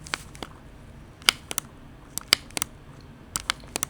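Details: Finalmouse ULX Frostlord honeycomb-shell mouse pressed on M1 while simulating gaming: sharp, dry crackles about once a second as the thin, material-reduced shell flexes and creaks under click pressure; hard presses mid-paddle also depress M3.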